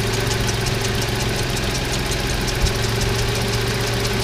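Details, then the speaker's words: 1988 Toyota 4Runner 3VZ-E 3.0 V6 with idle air control valve passage taped off: steady, smooth idle at about 800 rpm, the manual's standard idle, no hunting. "right there is around 800 rpm which is what the manual says should be the standard idle"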